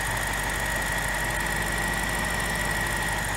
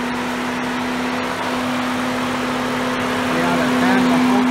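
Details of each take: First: 2007 BMW X5 4.8 after thermostat replacement, front end raised to bleed air from the cooling system, water pump shown working: smooth even idle with a faint steady high whistle, no knocks or misses; healthy idle. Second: 2007 BMW X5 4.8 with code P0128 and a coolant leak at the thermostat, before thermostat replacement: loud steady whooshing roar with constant mid hum over idle; cooling fan kicking on high, thermostat suspected.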